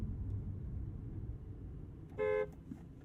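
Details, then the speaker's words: 2022 Audi R8 Performance RWD coupe, 5.2-liter naturally aspirated V10, horn test: a single clear, bright quarter-second blast over a quiet cabin rumble, loud enough; horn works normally. "Yeah, that's loud enough. It'll get your attention if the yellow paint job doesn't."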